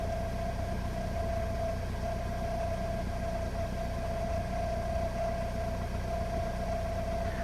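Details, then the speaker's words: Car at idle: steady thin whine at one pitch from the fuel tank over a low even idle rumble, an indication of a failing pump. "now another easy indication is if you hear a whining noise coming from your fuel tank as shown here"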